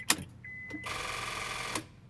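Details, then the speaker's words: 2002 Honda Accord coupe V6, key turned to start: fast buzzy clicking chatter about a second, no crank, dash lights flicker, key symbol flashing; cause unknown to owner. "as soon as I go to try to turn it to start it it does this and it makes a clicking sound don't know what that is"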